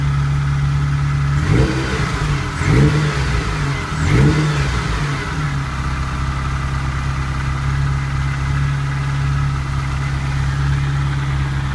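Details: Ferrari 308 QV V8 after replacing crumbled camshaft pulleys with aluminium ones and dialing the cams: smooth idle and clean throttle blips, the earlier ticking gone.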